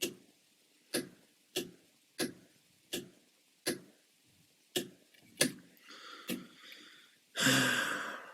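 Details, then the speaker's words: Homemade relay circuit board for ambulance-to-RV conversion, relays triggered on the board; sharp clicks about every 0.6 seconds, irregular with buzzy burst, relay chattering; suspected bad relay, unconfirmed. "so we got power power hear it click that's not good that sounds like a bad relay or a bad uh"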